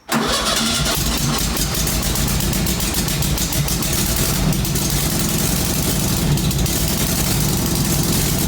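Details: Exhaust leak on a 1966-67 VW Beetle 1500, first start after long storage with fresh fuel, run indoors: starts at once into a loud, raspy, puffing idle, much harsher than normal, because the exhaust has holes in it; reluctant to rev, fan belt needs replacing.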